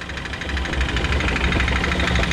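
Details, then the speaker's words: Ram ProMaster van recorded from underneath on a lift at idle: heavy rapid metallic knocking that sounds like rod knock but is a broken torque converter flex plate. "can hear the knocks pretty uh pretty substantial what this is gonna be though this is not gonna be a rod knock uh we'll shut the engine off and i'll show you what actually is making the noise it's gonna be the torque converters flex plate"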